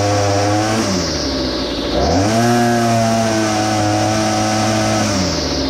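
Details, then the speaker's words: Well-used small two-stroke engine buzzes, drops off, climbs and hangs flat, then sags down, bogging on throttle; owner plans to adjust the carburetor low and high mixture screws. "what i want to show you is you'll hear the throttle response it'll start to climb and it'll bog and we're going to make an adjustment here and see if we can fix [Music] that"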